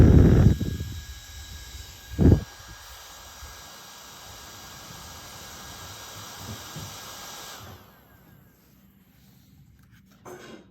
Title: squeaky sounds of a portable fan